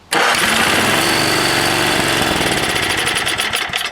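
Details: 5 hp Tecumseh engine after freeing the rusty, stuck Bendix on the 33290E (23220) starter, a little gas poured down the spark plug hole, throttle up; starter catches cleanly and the engine fires straight into a steady fast run, no grinding or freewheeling whir.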